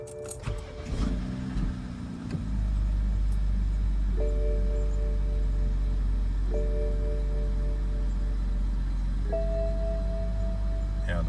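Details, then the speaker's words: BMW E61 with N54/N55 engine, cold start next morning after high-pressure fuel pump replacement for rough idle and 2B2C/29F2 codes: cranks, catches in about two seconds, settles to steady even idle while a chime sounds; no rough idle, no fuel smell. "yeah at this moment I would already have uh coats and very rough idle so I can definitely say that the issue was with fuel pump and I'm very happy how it turned out"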